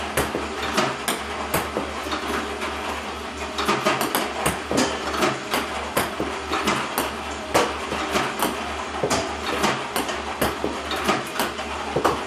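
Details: iPong Pro ball launcher robot, about 4 weeks old with roughly 2 hours run time, using clean Joola 40mm balls with the power cord fully plugged in: irregular sharp clacks with uneven feed gaps, increasingly frequent misfiring.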